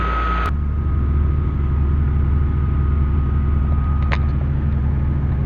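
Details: Proton Waja MMC manual, warm and remapped: a steady deep drone holding at a raised idle that stays too high, with the idle motor not closing. Suspected causes are the Mitsubishi Airtrek throttle body, a gasket, and a poorly matched ECU map.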